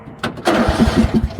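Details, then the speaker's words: 2007 Craftsman rear-engine rider mower that sat about 5 years, first try after repairs and a battery hold-down: after a couple of false starts the starter turns it over with even compression pulses, but it does not fire. Finding: normal cranking. "I'll be dog onone well we got some cranky going on that's a good sign"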